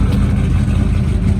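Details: Cayenne V8 after a bad misfire was fixed: a deep, steady, even rumble with revs rising cleanly and no skipping. The misfire was blamed on a spark plug wire lying on the manifold, possibly damaged by pressure washing.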